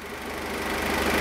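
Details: Peugeot 206 at about 85°C coolant temperature, with radiator and coolant flow checked OK: an even, steady warm idle that firms up slightly, with no knock or rattle; healthy.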